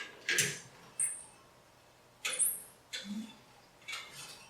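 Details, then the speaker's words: Swap-meet straight-six in a 1967 Chevy C10 rolled over slowly by hand: short sharp squeaks from toward the back of the engine; owner suspects a bearing, the clutch, or the transmission input shaft pilot bushing, hoping the pilot bushing. "see what what is that sound is that a bearing or is that the clutch or is that the input shaft of the transmission in the pilot bushing"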